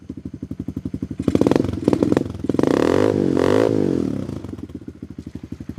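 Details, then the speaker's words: Tao Tao Coleman 125 ATV warming up after starting without the choke, on a new 28mm pipe and silencer, with the idle raised earlier. Even single-cylinder thump at about 3.5 pulses a second and two clean throttle blips, with a throaty but steady exhaust; healthy idle. "So that pipe sounds pretty good. It's got a little throat to it. Once it warms up."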